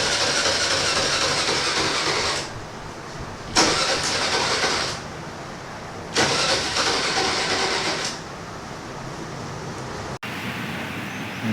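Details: 2020 TVS Jupiter BS6 scooter that hadn't started after sitting three days, heard after fault codes were cleared. It catches, runs a couple of seconds, dies, then catches again and fades, unable to idle; a fuel delivery problem is suspected.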